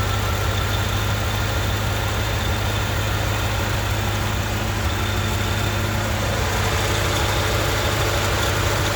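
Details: 1995 Chevrolet Corvette: steady V8 idle with a low rumble that stumbles now and then, the beat breaking unevenly; an intermittent misfire, cause not yet found.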